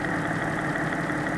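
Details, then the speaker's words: Porsche 986/987/996/997 flat-six, hot engine at idle, stethoscope on cylinder 2 between exhaust: steady rhythmic tapping louder than cylinder 1; suspected bore scoring. "Okay, so I've got a lot more of a rhythmic tone on cylinder number 2. A lot more tapping, a lot more rhythmic tone"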